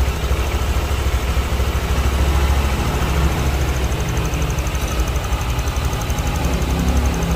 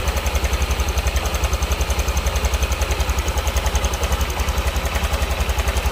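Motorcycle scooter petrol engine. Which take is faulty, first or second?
second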